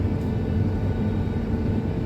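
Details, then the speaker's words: Combine header running while cutting in a hilly field: steady low droning rumble with a faint constant whine on top; operator thinks the header gearbox sounds low on oil and goes to check the header oil sight gauge. "It's way more fun. This header's whining. I think"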